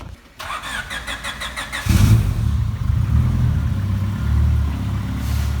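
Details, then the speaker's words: Widebody turbo Honda Civic after full fuel system upgrade with twin Facet lifter pumps, AEM 400 lph inline pump, AN8 feed and AN6 return, 40-litre fuel cell; rapid ticking bursts while cranking then deep uneven idle, the new fuel pump very loud. "do you like new fuel pump matt yes it's gonna be real fun driving it wow it's loud"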